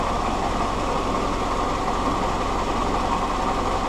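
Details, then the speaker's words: Willys Jeep Kaiser Supersonic L134 Go Devil engine, excess oil, liquid glass added, started for a planned 20-minute run: steady lumpy low idle, sounds changing; suspected head gasket or crack. "want to start it up and run it for at least 20 minutes I'll set a timer come back the sounds are changing for sure"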